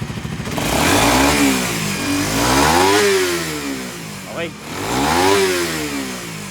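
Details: Raider 150 Fi, after an ECU remap for more performance and response, started following a long fuel pump prime: revs climb and fall cleanly three times with crisp throttle response and no misfire or rattle.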